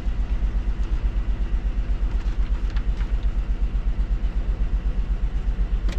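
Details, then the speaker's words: GMC Denali LS V8 from an auction pickup, just started: deep, lumpy thumping at idle, pulsing about three times a second with little smoothness between beats; engine misfiring at idle, cause unknown. "can hear it's misfire it's easy though it's LS"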